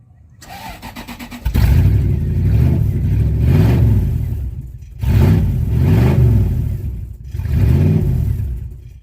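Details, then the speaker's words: Old rusty Toyota, fuel nearly empty, a little gas added: engine cranks, catches, revs briefly, then fades and dies as throttle drops, restarting and stalling again; stays running only with the pedal held. "Fire it up, it die. Fire it up, die. Hold the pedal, it fire up and rev and stay."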